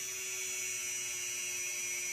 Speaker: so I'll start at zero and actually just spool her up and let you listen to it a little higher there little higher pitch